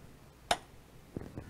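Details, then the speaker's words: SMA Sunny Boy 3000TL-US/4000TL-US/5000TL-US inverter, grid off, switch turned on to activate Secure Power Supply: one sharp click, then two softer clicks, normal relay clicking during startup self-checks, taking up to 45 seconds. "you only need to flip the switch once to give the inverter a little bit of time to go through a couple self checks you will hear some relay clicking"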